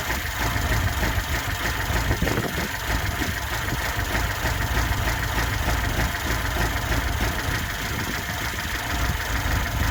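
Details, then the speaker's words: 1979 Lada Niva with reportedly tuned engine, twin downdraft Weber carb and K&N filter, after fitting a new distributor and new spark plugs that cured a no-run: even, steady idle with smooth low beat, no knocks or stumbles; healthy. "We put it down to the distributor, fitted a new distributor, new spark plugs, and now it strikes up like a sewing machine."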